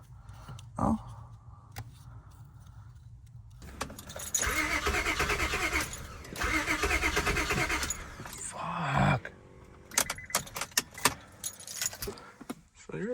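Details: Honda Accord: keys rattle, then two long spells of steady cranking that never catch or fire; the engine turns over but won't start.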